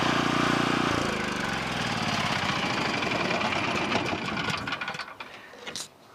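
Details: Low-hour 11hp Generac single-cylinder engine from a generator whose power head smoked, run after freeing a stuck carburetor with penetrating oil (it had been running too fast); strong, even chug holds steady, then coasts down and stops, running healthy.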